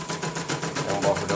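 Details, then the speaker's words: CNY embroidery machine after a full teardown freeing the seized main shaft, with the upper spring replaced and the upper and lower sensors fixed. Even, quick clatter at about eight to nine strokes a second with no catching, dragging or labouring. Runs smoothly. "Nah, tinggal tutup nanti tes lagi. Lancar. Sensornya atas bawah udah beres semua."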